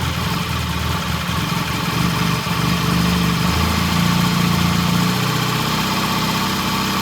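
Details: 1968 Triumph T100 twin with a new battery, after cleaning the pilot jet (set to 1 1/2 turns) and raising the idle slightly: even, steady low thrum with no misses or knocks, settling into a smooth idle.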